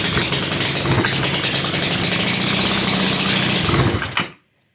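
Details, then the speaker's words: 2007 150cc GY6 scooter, parked since 2016, first run after repair with starting fluid: harsh, raspy, very loud popping exhaust at fast idle, then cuts off; homemade exhaust with no real muffler, excessively loud. "take the starting fluid out try this again oh yeah oh my God this is so loud"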